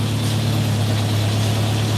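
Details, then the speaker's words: Mercedes W123 (S123 estate) idling after first start in nearly three years; smooth, even low rumble with no knocks, ticks or misses; normal idle. "look at that don't sound bad at all does it"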